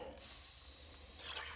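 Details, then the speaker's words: New waterline from freshwater meter to frost hydrant, hose run to flush: steady high hiss as trapped air is pushed out of the hose ahead of the water; air purging normally. "Hear the air hissing. [Music] working air out of the system through the hose."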